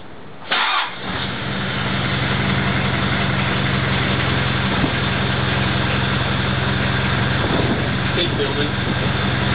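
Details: Mitsubishi Pajero diesel, cold start: cranks, catches, uneven idle with occasional stumble lasting 30 seconds to 3 minutes or until revved; random misfire began after high-RPM sand dune driving, with poor economy and 30% power loss, unresolved for years.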